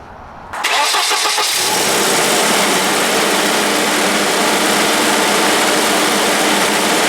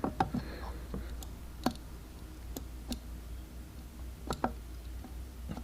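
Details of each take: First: 1991 Volvo 245 idles too high after a cracked fuel pressure regulator hose was trimmed, fast and steady as if the throttle were held; the throttle position sensor gives no click when the throttle wheel turns, so the TPS is faulty. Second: 1991 Volvo 240 with idle problem: sharp single clicks as the throttle plate moves, throttle position switch aligned correctly and clicking at idle contact.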